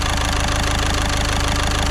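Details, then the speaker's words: Caddy at 81,370 miles, first run after repair work, with no engine management light on. Even, quiet idle with a steady quick pulse and no knock or ticking. Healthy normal idle. "And it sounds so nice and quiet as well."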